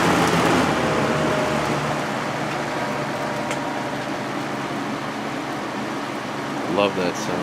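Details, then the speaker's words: Vintage 1983-84 Lasko box fan on high, motor previously repaired with adhesive, likely many hours: steady airy rush with a pronounced constant low electrical hum resonating through the frame via the single-piece motor mount. "you can really hear that hum on the ones with the single piece motor mount it just resonates through the entire frame"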